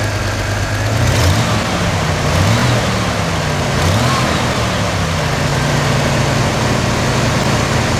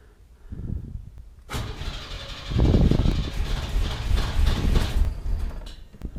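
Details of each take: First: 1991 Chevy S10 Tahoe after a new starter and a cap-and-rotor change, running well for five days: it settles into a smooth, even idle with a steady low hum and no knocks or misses. The engine sounds healthy. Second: 1991 Chevy S10 Tahoe after a new starter swap, coil wire reconnected: starter cranks cleanly with no thumping or grinding, but the engine never fires; no start from a low fuel pressure problem.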